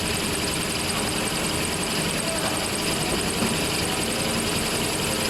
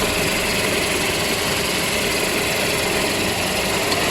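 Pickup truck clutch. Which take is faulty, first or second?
first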